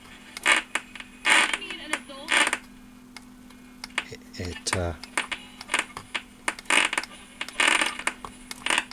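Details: 1976 Lloyds Monteverdi stereo, moisture-exposed with rust on the tuning capacitor: bursts of scratchy crackle and clicks as the dial moves, on AM only, FM fine; owner suspects the tuning capacitor, considering contact cleaner.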